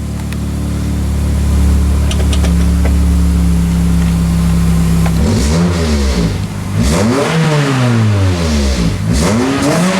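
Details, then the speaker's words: 2003 Pontiac Vibe GT four-cylinder petrol after replacing coil packs and spark plugs for a misfire: idles smoothly and revs cleanly, zero misfires across all four cylinders; a separate check engine code remains. "sounds much better zero misfires across all four"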